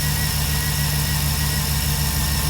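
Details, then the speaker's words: 2006 Jeep SRT8 6.1 Hemi, high mileage, cold start idle running low and lumpy with a chug and visible shake; cylinder 5 misfire (P0305) persisting after new coils, spark plugs and injector rebuild. "Now right now, I don't know if you can hear it, but you can actually hear the misfire where the vehicle's got a bit of a chug."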